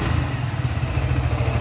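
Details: Suzuki Gixxer single-cylinder motorcycle after the ring and piston were installed: even low idle putter with a light regular clatter and no knocking. Normal idle.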